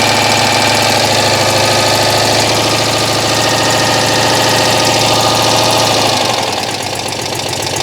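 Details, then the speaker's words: Citroën 2CV flat-twin that had conked out, now restarting after ignition tinkering: sharp rapid puffing tick about three per second over the idle, fading as it settles; owner hears a bad exhaust leak somewhere; timing still off. "there we go I've got a bad exhaust leak in here somewhere I can hear it"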